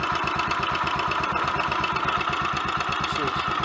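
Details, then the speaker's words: Royal Enfield Electra X, completely standard tune, after engine rebuild with new conrod, big end and piston and timing gear noises addressed: quick, even single-cylinder tickover with no misses or stumbles, a healthy slightly fast idle after a test ride. "steady tick over i like"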